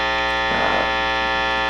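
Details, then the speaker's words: Epiphone Les Paul Special with stock Epiphone P90s, neck pickup, guitar volume and tone full up, Fender Hot Rod III Deluxe with drive full up, reverb off, presence full up, strings not played: a steady, loud, bright distorted buzzing hum, single-coil pickup mains interference. "now already you can tell this is pretty unbearable that's I'm in the uh neck position pickup I've got the volume all the way up I got the tone all the way up on the guitar"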